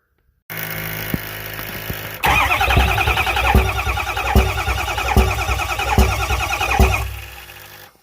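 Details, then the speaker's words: 6.0 Powerstroke diesel: cranks, then runs rough with a sharp pop through the intake about every 0.8 s; the number 8 exhaust valve isn't opening, thought to have trashed its lifter and eaten the cam. "So I bought this thing. It was popping through the intake, which you'll hear here in a minute."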